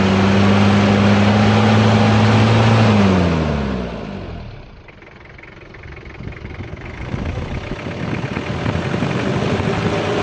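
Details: Toyota Hilux diesel (2L/3L/5L type) after cleaning of its nozzles, which had caused misfiring; steady even idle, then the tone drops away as the engine winds down, no knocks or misfire clatter; healthy idle.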